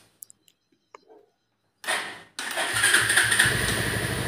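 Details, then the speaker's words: Bajaj Pulsar 180 after starting and pickup/rpm problem traced to faulty CDI, old carburetor and coil refitted: short starter whir, pause, then engine fires promptly and runs at a steady, slightly fast idle around 1000 rpm without misfires. "तो देखिए। आप समझ गए, यह यह चालू है। तो आरपीएम थोड़ा सा और हाँ।"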